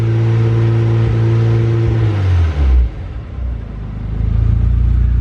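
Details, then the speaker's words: Turbo Honda Civic with new MAP sensor and injectors on an unknown tune, wideband reading 9.2-9.7 AFR: revs unevenly with sputtering, spitting and popping from a very rich mixture; okay at higher RPM, cleaning up after revving. "you guys can probably guess this thing's stupid rich so it is running but not very well we're nine nine point two nine point five air fuel if I rev It Up 9.7 higher RPM it's okay you can hear it spitting and popping a little bit"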